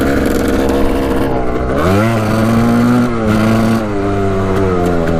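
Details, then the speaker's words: Arctic Cat 250 4x4 with stock pipe and baffle, carb not yet cleaned, new spark plug: revs climb and sag unevenly, blubbering before clearing to a cleaner note; owner suspects it's loading up rich. "Having a hard time clearing it out, sounds like. There we go."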